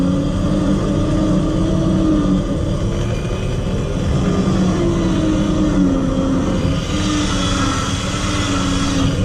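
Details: 12-volt winch motor on 12 volts, straight pull on flat ground: heavy steady electric drone with slowly wavering tone hauling under load, pulling evenly; normal operation, about 31–32 seconds.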